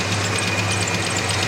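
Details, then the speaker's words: 1987 Chevy S10 at idle after fresh oil and a good filter, engine previously run with antifreeze in the oil: light, quick ticking about ten a second over a strong idle, maybe improving; needs a fuel filter. "And you can probably hear the ticking. It sounds like it's getting a little better, but I don't know."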